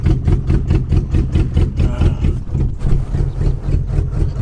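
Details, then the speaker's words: Lincoln 4x4 running on a temporary fuel cell and fuel pump hooked to a jump box: rough idle with loud uneven ticking clatter over a low rumble, sounding almost diesel-like; cause not yet identified. "Sound like a little bit like a diesel. It's just identifying as a 12 valve."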